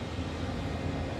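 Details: Jeep Wrangler TJ after HVAC control unit replacement: even, steady rush of air from the blower on high in full defrost, no rattle, tick or squeal; blower running normally.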